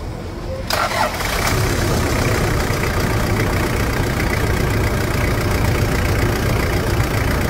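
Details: Toyota Land Cruiser Prado diesel, after replacing broken engine mounts with correct Prado mounts instead of SW4 ones: the starter catches after a brief crank and the engine settles into a steady, even idle with no knocks or clunks. A normal start and idle.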